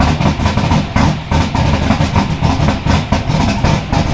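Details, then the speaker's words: Twin GT45 turbo 468 big-block with AFR 305 heads, Holley EFI and 4500 Dominator throttle body, first start after reassembly: loud, lumpy idle with uneven pulses about three a second, smoking a little; rough idle, tuning not yet right. "I'm gonna start this and it's loud, okay? And it smokes a little bit because I don't have my tuning right."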